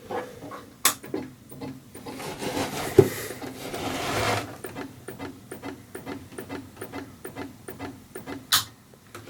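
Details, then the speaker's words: Macintosh Plus bought cheap, which the previous owner said sounded like it was looking for a floppy disk with no screen. At power-on, irregular mechanical clicks and short rasping bursts come from the floppy drive, with no video and nothing else starting. "it sounds like the floppy drive is indeed moving but it doesn't look like the screen is coming on or that the computer is doing anything else"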